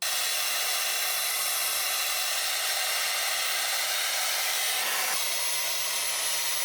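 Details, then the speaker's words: Dyson Airwrap that cut out after about five minutes, after removing a thick layer of fluff from the motor air inlet: steady, even rush of air over a smooth motor hum with no surging or straining; normal running. "Just removing that and doing absolutely nothing else to it except that it makes so much difference."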